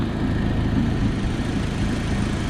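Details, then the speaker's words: Audi with a loud, rough, tank-like idle and a puffing tick in time with firing; owner traces the leak to this area and suspects the exhaust manifold gasket. "see what uh is making this noise um to me it seems like it's probably the the manifold gasket"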